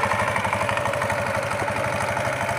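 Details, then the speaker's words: Honda Beat scooter idling after the noisy CVT pulley with worn, loose rollers was replaced: an even, steady pulse with no rattle from the belt drive, now quiet. "wala ingay na siya Okay na tumahimik"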